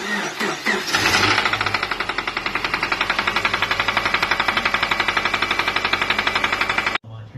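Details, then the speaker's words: Subaru EJ boxer engine cranking, starting and idling with a steady rhythmic bottom-end bearing knock before shutdown. Recorded before an oil-additive bearing fix was poured into the oil filler. "but you just got this car tied into us it's got a bit of bearing knock"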